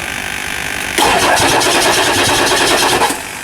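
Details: 1999 Ford F350 7.3L diesel after injector cup replacement, slightly hydrolocked from oil left in cylinders and turned over by hand; starter whirs steadily, then engine catches with rough, uneven chatter and dies back: hard start.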